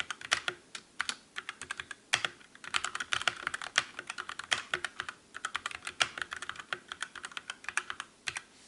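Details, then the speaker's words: Calibur keyboard with Otemu red switches in a typing comparison against the Motospeed CK62: crisp keystrokes about five to seven a second, each ending cleanly with no ringing spring ping. Normal keystroke sound. "And finally, let's do the comparison test with Dremel Calibur with Otemu red switch."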